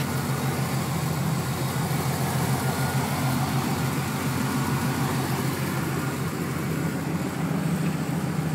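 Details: 1996 Chevrolet Camaro Z28 LT1 V8 at idle: a light tick of about three per second over a steady idle, attributed to the valve train; the owner wonders whether it needs a valve adjustment, cause not confirmed.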